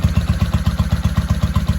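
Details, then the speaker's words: 1995 Honda Shadow VLX VT600CD, first start after cleaning switch contacts and rewiring, spark restored, air filter off: steady, even low thump about nine beats a second through a loud open exhaust; idling smoothly. "Well, I'd say that's a success. She's idling real nice."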